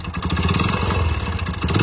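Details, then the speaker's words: Hero Splendor Plus bike, odometer rolled over past 100,000 and now reads 60,000: a hard, rapid clatter tracks the revs inside the failed engine. Connecting rod knock. "Correct Kirk అంటుంది కదా engine లోపల అదే అన్నమాట connected sound అంటే అదే"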